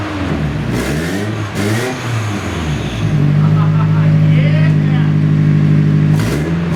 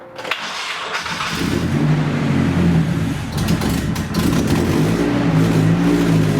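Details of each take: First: Nissan 240SX started for the first time in 2 years after being rebuilt onto a different chassis, with a temporary heater hose fitted: steady, even idle with clean revs that rise and settle. Loud and raspy in tone but running healthy. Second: Nissan 240SX first start in two years after rebuild onto a new chassis: engine catches and runs evenly for about a second, then falls into an uneven, loping idle that surges and sags; cause not yet known.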